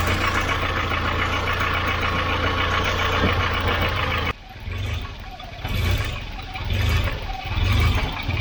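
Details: Volvo 940 Turbo warm idle that won't settle, revs rising and sagging about once a second; owner suspects a split vacuum line, bad MAP sensor or idle control valve; cause found to be a leaking fuel pressure regulator flooding its vacuum line.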